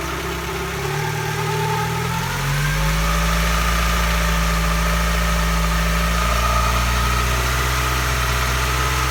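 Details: Mazdaspeed Protege after engine rebuild: a steady, fairly high whine rides above a smooth, low engine idle.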